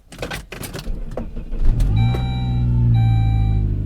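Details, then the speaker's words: Saab at a salvage auction yard, started on a jump: cranks and catches, then a steady high whine over the idle; battery light on, no power steering, belt missing. "a whine the battery light is on so we know the alternator is not charging or it doesn't have a battery in it"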